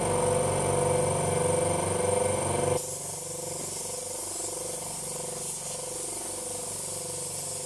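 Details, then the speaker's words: 50L twin air compressor on test run: steady throbbing drone with regular pulse, dropping to a lower hum partway as it cycles by pressure switch; runs evenly and sounds healthy, like a helicopter. "Sounds like a helicopter, don't you think? It does. Sounds like a Chinook."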